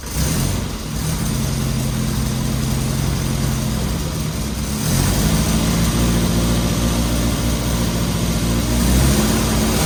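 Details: Rebuilt 948 cc A-Series engine with SU carbs, first run-in, not fully warmed: even, steady beat with a slight rev lift partway and no knocks or rattles. Normal running.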